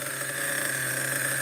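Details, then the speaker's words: Schumacher XTR-3E nitro stadium truck on first fire-up, engine very cold: steady high-pitched buzz with even, unchanging tone; settled, stable idle though a little average; it later died, judged too rich. "very cold I think it's settled down a little bit now this is a proper Runner idle is a little average I would say"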